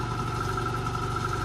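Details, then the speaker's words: 1952 Chevrolet pickup heater blower: steady electric motor drone with faint high whine and light rattle while testing fan speeds and resistor wiring; the fan motor sounds worn out and likely needs replacing. "Bon alors, le moteur fait du bruit, je pense qu'il est bon à changer."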